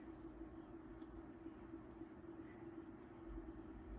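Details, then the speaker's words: 1980s Sanyo 9-inch oscillating fan (2-speed shaded-pole C-frame motor), gummy and unoiled before restoration, running on low: low, steady motor hum with no grinding, squeal or rattle; bearings quiet and healthy. "for this one the bearings sound nice and quiet which is always a relief to hear"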